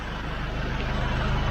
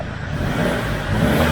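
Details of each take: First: SsangYong Rexton Sports Khan diesel at idle: a loud, steady rush of air, like whistling, after a bang on the highway and lost power above 2000 rpm. The owner feared the turbo, but the intake hose had come off. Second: SsangYong Rexton Sports Khan turbo diesel after refitting the blown-off turbo-to-intercooler intake hose with a new clamp: engine starts and revs with an even, unbroken roar, no whistle or hiss; healthy again.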